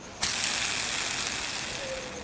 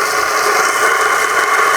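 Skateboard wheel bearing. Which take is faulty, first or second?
first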